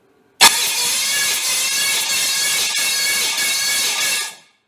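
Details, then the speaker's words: Freshly built 394 stroker V8, first turnover to check compression: loud, steady, high-pitched starter whir for about four seconds; normal starter cranking, compression around 170. "all right I got it set up good enough to check compressions so let's us see what we got that starter woo it's loud it sure"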